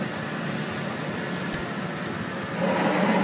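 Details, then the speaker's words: Nissan 200SX S14 at idle: a light rough whirring while the clutch pedal is pressed, stopping when released and returning on pressing. This is clutch release noise; it also makes noise when selecting reverse. "Este es el ruido que hace el embrague en cuanto piso el embrague hace este ruido levanto y deja de"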